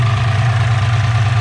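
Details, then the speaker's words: Ford Fox-body Mustang with a turbo 363 stroker, idling after repairing a tick heard for months: smooth, even low rumble with no ticking or puffing, exhaust sealed. Normal idle after the fix. "definitely definitely nice I don't hear any tick whatsoever perfect"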